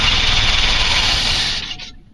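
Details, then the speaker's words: 1984 Chevy K20 3/4-ton with newly fitted Edelbrock 1406 carburetor: engine runs rough and loud about 1.5 seconds, then dies abruptly; fuel starvation stall, temporary rubber fuel line from the pump wasn't in the tank. "well I found the problem during troubleshooting this truck I thought I might have a clogged fuel system so I ran a temporary rubber line from the pump to here and well I didn't have the hose in the tank so let's give that a shot"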